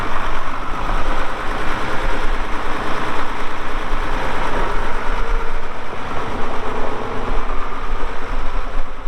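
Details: 1979 International 986 2WD cab tractor diesel, about 3,200 estimated hours (meter reads 2,321, not working), light use on ~50 acres: steady deep rumble with even beat, no knocking or misses; runs great, normal running.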